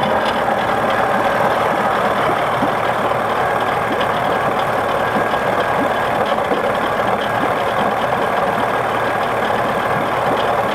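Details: 1979 Johnson 55 two-cylinder two-stroke outboard idling lumpy and uneven, with irregular popping and stumbling beats: rough idle, cause unclear.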